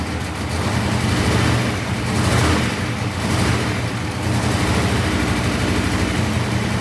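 Uneven, lumpy idle with an irregular stumble, plus a loose rattle from underneath; engine is skipping on a cylinder. Cause suspected, not confirmed.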